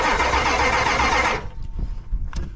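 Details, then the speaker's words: Ford truck from a graveyard revival (7.3 IDI diesel or 300 six), cranking on only one battery. Steady, even cranking for over a second without firing. No fuel is suspected, possibly a plugged fuel filter, though fuel pressure looks good. "is she not gonna start yeah there's no [ __ ] fuel getting tours"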